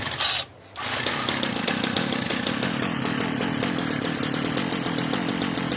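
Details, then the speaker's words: Marketplace Homelite-type string trimmer, bottle-fed 2-cycle fuel; sticky throttle cable, and dirt blew out of the muffler on starting. After a brief cut-out it picks up to a high, steady buzz with an odd note; the owner jokes it sounds hopped up. Cause unknown. "Oh, this one sounds a little funny. Well, she popped off and ran. It just sounds a little bit different."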